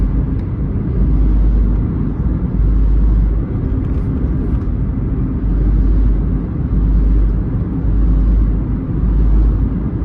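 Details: Smart Fortwo under acceleration: low engine drone rising and falling in slow surges about every second as it pulls; abnormal noise under load, cause unclear.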